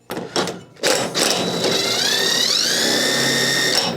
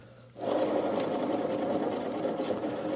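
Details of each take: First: Yard Machines (MTD) riding mower, 13.5 hp Briggs, 38-inch deck: newly replaced spindle bearings spun by hand give a clean, rising whir with no crunch or grit; bearings run smooth. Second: Yard Machines riding mower deck spindle spun by hand gives a gritty, crunchy, rattling whir from worn spindle bearings, which are to be replaced.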